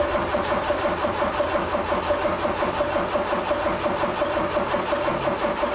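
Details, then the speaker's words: Old Ford Courier-based mini U-Haul box truck sitting 35 years, coil jumpered hot with electronic ignition: even starter churn around ninety beats a minute with occasional backfire pops, engine never catches; cause unclear. "a little backfire action"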